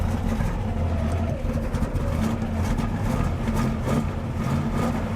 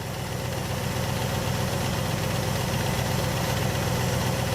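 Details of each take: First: 1967 Buick GS 340 V8 idling just after fuel reaches the bowls: stumbling, uneven exhaust beat dropping pulses, a couple of unhappy plugs; ignition, not a curiosity, idle to be brought up a hair. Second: 1967 Buick GS 340 V8 revival with a clean fuel system and filter: an even, steady idle with a low rumble and no misses or knocks. The engine runs nice and smooth.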